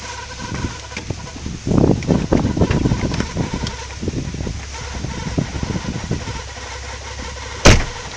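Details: Car at idle with the clutch pedal held down: irregular light rattling and clattering from the gearbox over the low engine idle, only occurring with clutch down; cause unknown.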